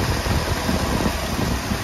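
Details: 1966 Ford Thunderbird V8, new Summit carburetor, first start after sitting about two years on old gas: steady, even low idle with no knocks, misses or ticks; normal idle.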